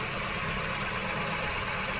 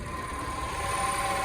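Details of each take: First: Peugeot 308 1.6 VTi 120 hp petrol (EP6) at 87,000 km, after replacing whistling worn water pump: smooth quiet idle, even hum and light hiss, no whistle or squeal; engine healthy. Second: Peugeot 308 1.6 VTi 120 hp EP6 engine at 87,000 km, idle after head repair: thin steady whistle around 1 kHz returns when water pump belt refitted; worn water pump, replaced.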